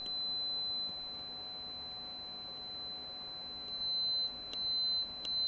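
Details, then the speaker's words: Circuit board on a 24 V supply: a thin, steady, high-pitched whistle that dips and swells as components are pressed. Microphonic ceramic capacitor singing, mostly coming from C3. "that is making a huge difference on that capacitor just there small difference on the tiny one there and nothing on this caster this one seems to make a huge difference so the majority of the tones appears to be coming from c3 just here"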